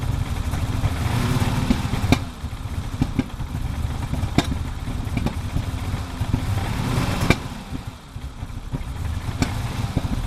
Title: 1987 E30 325is cold start misfiring